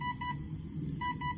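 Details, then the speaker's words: RC motor/prop test with new Avian 80 A 3-8S ESC on 4S battery, 7666 rpm, 54.75 A: short high beeps in pairs and triples over a low hum; ESC warning, presumed low voltage, resting 15.6 V sagging to 13.5 V. "Now you can hear it beeping, I assume, because the voltage dropped below the voltage that it should have with 4 cells."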